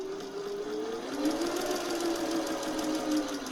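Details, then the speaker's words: Singer 401A sewing machine with rotary hook, thrift store find not yet lubricated, sewing test: even steady whir holding pitch as speed rises slightly, not rattling the table; no knocking or grinding, normal running. "It's got some really good balance. Oh, it's a rotary hook. Look at that. No wonder it's so smooth."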